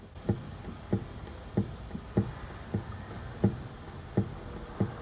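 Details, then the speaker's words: Suzuki Alto clunking over bumps and manholes: dull, low clunks, about eight in five seconds, as the left tie rod is rocked by hand on a lift; play at the left rack-to-tie-rod inner ball joint; outer tie rod end fine. "4の原因はおそらく左のラックとタイロッドのここのボールジョイントここにガタが出ているはいこの型ですね"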